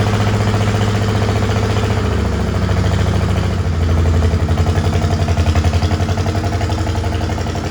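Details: Old Farmall H tractor, freshly revived with new oil, oil-bath air cleaner refilled and battery, has a lumpy, uneven idle with a lopsided, chuffing exhaust beat. It shows blowby and the owner suspects it is down on cylinders and power.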